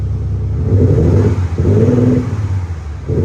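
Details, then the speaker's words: February 2020 Audi S4 3.0 V6 TDI turbo diesel, just over 48,000 miles, heard from the rear, engine sound set to subdued then pronounced: two clean deep rev pulls and a third starting, no knocks or rattles, healthy. "so this is in the subdued and then if you put it into pronounced give it a slightly longer"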